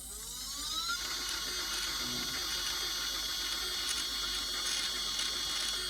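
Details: HEQ5 Pro telescope mount after a rebuild: a high motor whine climbs quickly, then holds with a gritty rasp underneath. Loud slewing noise from the drive, cause unclear.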